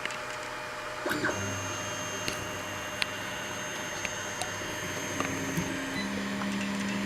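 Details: Anycubic i3 Mega 3D printer while printing: steady stepper whir broken by sharp, irregular extruder clicks about every second; skipping, cause not pinned down (check slicer settings, bed level, fresh PLA, then the extruder).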